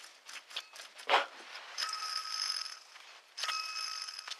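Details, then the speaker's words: Ford Expedition 4.6 V8 with constant squeak while running, idler pulley removed and spun by hand: dry rattly whir with ringing metallic tone as it coasts; worn idler pulley bearing, tensioner pulley bearing also bad. "I've decided to go ahead and take out this idler pulley and would you know the bearing is bad in it to hear that"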